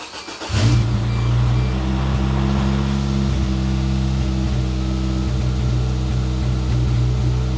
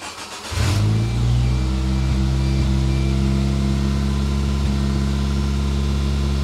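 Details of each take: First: 1993 Geo Tracker that would not start, after cleaning the fuel injectors with carb cleaner, radiator fluid low: it cranks and catches at once, then settles into a steady, even idle with no knocks; it sounds pretty good but stumbled slightly. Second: 1993 Geo Tracker, previously non-starting, start after cleaning fuel injectors with carb cleaner: cranks, catches and settles into low idle with a couple of faint hiccups; slight stumble, cause unknown, owner thinks timing is right on. Engine stumble after start.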